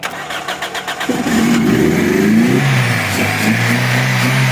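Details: 2003 Toyota Corolla XLi, no-start after clutch plate installation, weak battery: steady cranking at about four beats a second, then rough running on poured petrol only; the mechanic blames a faulty fuel pump.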